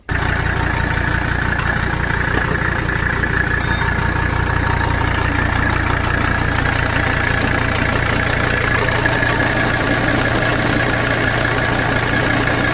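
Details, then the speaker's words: 1985 Mercedes 300D diesel at idle during lift pump test, fuel pressure 25–30 psi, normal and bouncing: clatter with a slightly uneven, lumpy beat; shaky idle persists, lift pump ruled out, cause not yet pinned down. "so as you can see we had you know it's bouncing around which is it does it's not supposed to be steady it does bounce like that that's normal and we had about 30 between like 25 and 30 pounds of fuel pressure and so to me that the that says the there's no issue with the lip pop so that is not our issue with rough idle"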